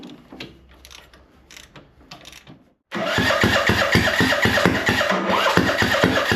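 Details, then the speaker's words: Huskee riding mower that sat for years and had hydrolocked with far too much oil, fitted with a refrigerator spark plug: slow, labored, uneven cranking that never catches; owner suspects a sheared flywheel key or a stuck or bent valve. "Yeah, I think the motor is a little hard. So, like I said, this thing hydrolocked cuz it had 48 quarts of oil in it."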